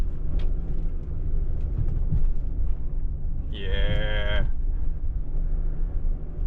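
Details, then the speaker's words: Nissan Elgrand E50 on a test drive after replacing the front swaybar end links: steady road rumble with no taps or knocks over small bumps, and a cow lowing outside. Knock gone; a slight lower thumping may be a shock. "The little knocking noise is gone. Too bad I don't have a before sound of it."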